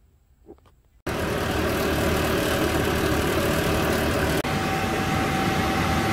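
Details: RV furnace (model 8535-IV) blower after rattle repair with a new blower fan wheel: starts after a second of quiet, then a steady, even rushing whoosh; normal operation.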